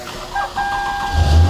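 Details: Toyota Camry with intermittent no-start, after new sensor fitted, battery deliberately low near 10 V: about one second of cranking whine, then engine catches with firm low thump and settles; healthy, quick start.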